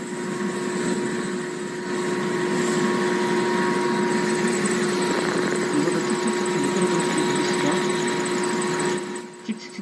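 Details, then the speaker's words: Blower hum under a fast, rough chirping about four per second as its V-belt slips: the motor pulley sits recessed inside the cover while the impeller pulley sticks out, so misaligned pulleys load one belt face only. "정렬이 안 맞다 보니까 미끄러지고 있는 [음악] 거고요"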